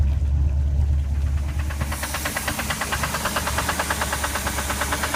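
A loud, regular knock, about three per second, rides over the big V8 idle and stays sharp and metallic, a classic rod knock.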